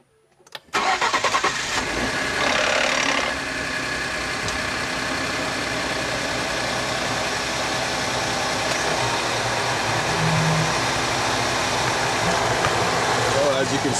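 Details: Used 2011 Ford F-150 EcoBoost on a morning cold start: harsh metallic rattle for the first couple of seconds, then settling into idle; timing chain suspected, not confirmed.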